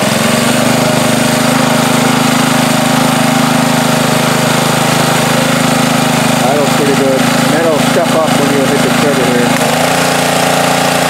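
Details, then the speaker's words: Ryobi pressure washer with Honda engine after off-season no-start, carburetor cleaned, no parts: with water hooked up, steady even drone over pump hum, no surging; runs fine, maybe a crumb in the carburetor worked free. "so i hook the water up and things seem to be running fine now"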